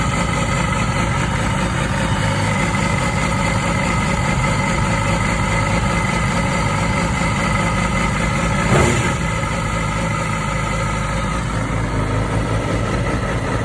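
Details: 2006 Yamaha R6 RJ11 at 20,000 km, cold start: steady idle with a faint rasping, sawing edge that is not always present and returns for 10–20 seconds after a 15-minute cool-down from warm; cause unknown.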